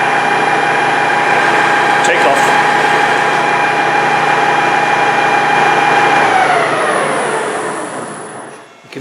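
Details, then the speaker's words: Noisy LT230 transfer case (sold as new, owner doubts claimed make), bench-run after oil fill, not warming up: a steady high whine over the spinning unit, sliding down in pitch as it coasts to a stop; cause unknown, to be stripped. "it's a bit whiny so what have we got I don't know"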